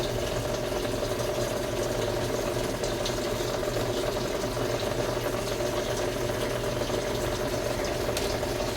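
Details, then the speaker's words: Samsung automatic washing machine after controller board repair (defective IC replaced) that previously would not wash because water would not enter: steady rush of incoming water with constant low hum, no clicking or stalling; inlet filling normally. "So ito okay na. Na-repair ko na yung controller board. Yan pumapasok yung tubig."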